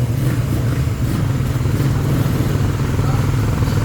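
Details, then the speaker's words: Raider 150 Fi after second teardown and rebuild, freshly started for break-in: steady, even low idle with no knocking or clatter; now quiet and healthy, no smoke. "So yan, tahimik na, all good na."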